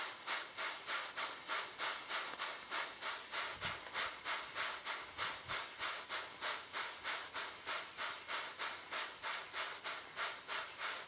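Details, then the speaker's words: Stuart Models/Southworth-type duplex steam pump running on steam: crisp, perfectly even chuffs at about 194 a minute, like a small locomotive. The valve timing is well set. "these valve events of perfection it sounds like a locomotive"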